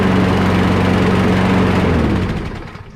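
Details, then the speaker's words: Free curbside Craftsman push mower single-cylinder engine under load after carburetor removed and fully cleaned (part of gasket broken): steady, even speed with clean constant note, then fades; sounds much better, running properly. "Let's put this under a load and see what it does. That sounds much better."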